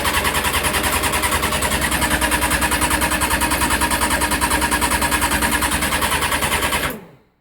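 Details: Honda CBR600F4i with a newly replaced starter relay: a fast even machine-gun chatter for about seven seconds, then it stops and the engine never fires. The bike works when the relay is jumped; cause unclear.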